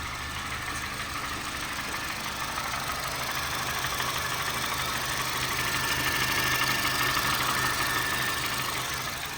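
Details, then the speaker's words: Honda Fit GD3 petrol, 120 on the dash: steady fast ticking knock about three beats a second from the front at idle, with misfire and gas smell; owner hopes not rod knock, since it is absent on acceleration and shutdown. "Don't sound too good. I'm praying I'm praying that it's not rod knock. I don't think it is cuz you don't hear it on acceleration or when you turn off the car. But something is definitely going on in there."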